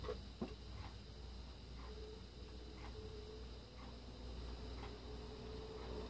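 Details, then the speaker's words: 9-inch Holmes Air oscillating desk fan started on low with oscillation engaged: quiet, even hum with soft gearbox whir and faint tick about once a second as it swings fairly fast; normal operation. "can kind of hear the whirring sound that it makes when the oscillation is engaged and it has a pretty fast oscillation speed as well"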